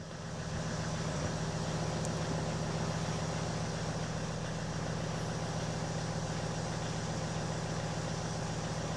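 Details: Ford S-Max 2.0 TDCi diesel just after oil and filter change, freshly started and ticking over, oil light out: even, low diesel clatter at steady idle with no knocks or rattles; normal idle.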